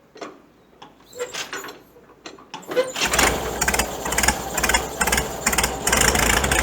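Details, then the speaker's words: Farmall tractor after exhaust modification (cut-down pipe reworked, glue-fixed): a few cranking turns, then catches and settles into a steady, deep, even idle, no knocks or misses; deep original note back, sounds bigger. "got the same the same cell as previously it's a nice deep sound and i think foreign it sounds much bigger"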